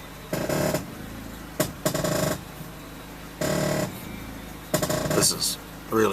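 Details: Honda van: repeated groaning creaks with a squeaky edge, one per steering movement, heard even while sitting still. Owner suspects a worn lower ball joint and plans to replace it after removing the steering knuckle.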